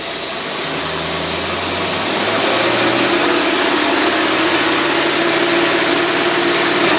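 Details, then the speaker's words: Test-stand engine with Holley teapot carburetor, in gear under a heavy load: loud even roar held steady with no misses, popping or stumble; carburetor runs perfect. "load right there is a lot more load than that car will ever pull. And that carburetor runs perfect."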